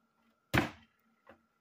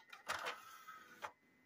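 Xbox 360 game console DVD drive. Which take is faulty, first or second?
first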